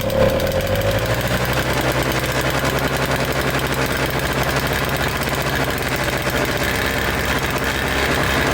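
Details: Toro Snow Commander snow thrower two-stroke, no fuel line hooked up, coughs to life then runs ragged, surging at idle, seemingly on starting fluid alone; old mix looked heavy on oil, owner thinks fuel was most of the problem.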